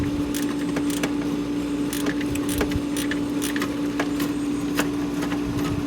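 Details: Hayward propane pool heater makes a steady harsh buzz with irregular scraping, grinding ticks on start-up; the inducer motor was ruled out, the fault progressed to no-fire over about two weeks, and the failing propane gas valve was replaced.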